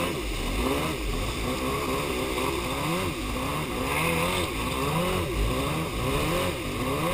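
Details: Yamaha Superjet two-stroke twin that began running badly after refuelling; compression is even, gas was replaced with fresh fuel, and both plugs look okay: an uneven, stumbling note instead of a crisp twin buzz. Misfire, running on one cylinder; ignition or plug wires suspected.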